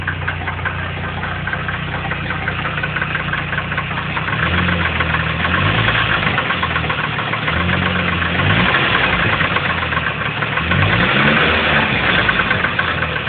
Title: CA18DET Engine Knock?